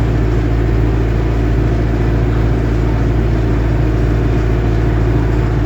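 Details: Lovol M504 tractor driving above 25 km/h: steady low drone with a faint rhythmic pulse from the gearbox, no distinct knock; cause of the gearbox noise unknown.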